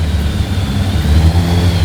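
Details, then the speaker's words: Yamaha FZR 1000 (2LA) just started after 3 months not running: engine catches and revs up and down smoothly with a clean, steady note and quick throttle response; running healthy. "Woo! It runs! Okay, that is really fucking good. It runs."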